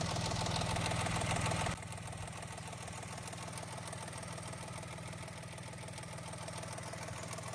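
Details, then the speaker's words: Mahindra XUV 3XO MX1 after a service in which a small part was fitted to cure a tractor-like tak-tak engine noise; the owner advises checking the silencer for damage. After an initial louder burst it settles into an even, steady idle, sounding like new. "मेरी जो ये sound है वो set हो गई जैसे नई गाड़ी आई थी वैसी ही आवाज अब ये इसके अंदर से आ रही है"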